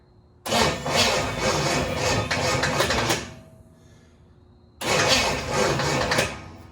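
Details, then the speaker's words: 1974 Chevy Nova 283 V8 at its first start attempt in 50 years cranks in two long bursts without catching; it has fuel, compression and spark, and the owners suspect the firing order or timing is backward. "on booth we don't get fired we know we got gas we know we got compression so there is no reason"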